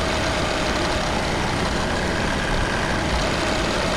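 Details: MK6 VW Golf 2.0 TDI (CBAB, DSG) just after timing belt, pulleys and water pump replacement, coolant still bleeding, not yet warm. Even, steady diesel idle with smooth clatter, no knocks, misses or squeals; no warning lights: healthy.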